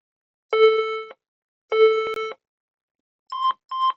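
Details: HP EliteBook 830 G6 brought in as not powering, power lines fine; two long low beeps then two short higher beeps, the memory error code indicating missing or faulty RAM or a faulty RAM slot.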